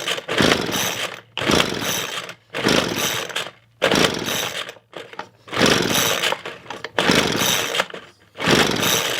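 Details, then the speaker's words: $10 Craftsman blower, reportedly run on wrong fuel then stopped, compression test by pull starting: spins over fast and easy with almost no resistance, gauge needle barely moves on repeat. Low compression. "and as you can see there's not hardly anything there is some as you can see the needle moves but it's not enough so even doing it a second time it still it still doesn't read very high"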